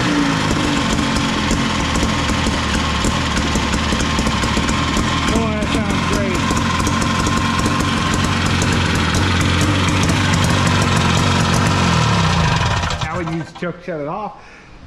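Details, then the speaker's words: MAX 6x6 amphibious machine with rear 440cc two-stroke engine, chain drive, revived: loud, steady, even run with crisp exhaust, slightly smoky, no knocks or misses; running healthy. "Smokey all right success well now that we know we have a runner it sounds pretty good"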